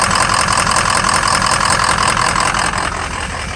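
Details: 2003 Ford Excursion 6.0 diesel idling with an uneven loping beat, three to four pulses a second, intermittent misfire with small blue exhaust puffs; #5 injector shows low voltage and poor contribution, FICM voltage good.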